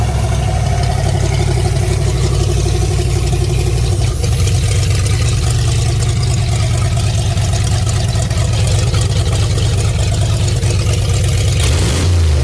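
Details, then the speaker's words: Fox-body Mustang V8, freshly restarted after 18 years with new aluminum radiator and electric fan: deep, very loud steady idle with raw unmuffled exhaust from an open wastegate port not yet welded on; exhaust leak. "the reason it's so loud is skate down there right now i got to bring it to the exhaust shop to get that uh welded on"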